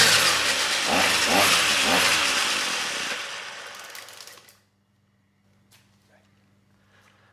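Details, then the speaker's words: Trash-picked Ryobi string trimmer two-stroke, air box broken, no choke: revs high, then sags and dies within a few seconds off throttle; stalling caused by the carburetor idle set screw being broken off. "nice i think the engine's running well it's still stalling when i let off the throttle so let me see if i can adjust that idle set all right well i wish i'd noticed this before but the idle set screw is actually broken off on this carburetor"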